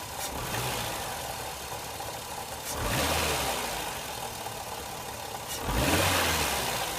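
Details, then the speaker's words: Ford Escort after throttle position sensor replacement, cold engine: idle swells and eases about every three seconds as the idle control valve regulates speed; normal hunting, idling better than before. "Yeah, that's the valve doing its thing. Well, that seems to be revving idling a little better."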